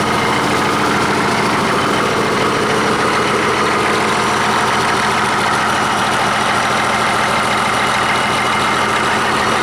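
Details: 1959 Caterpillar D337F diesel genset, stored in a barn 10 to 12 years, just started and resting at idle (needs the shutdown lever to stop). Loud, even diesel clatter with no misses or knocks: normal idle.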